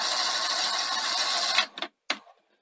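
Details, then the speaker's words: Sony SL-HF100UB Betamax, running heads with no tape after repair work. Steady high hiss and whir from the spinning drum, winding down with clicks; noisy drum bearings, settled after about 10 minutes. "So there go the bearings. Hopefully they'll quieten down as it beds in."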